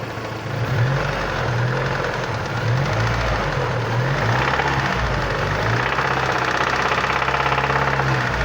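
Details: Vectra Challenge engine at idle: a regular, evenly spaced low knock persists over a steady idle. Internal knock, cause not yet identified.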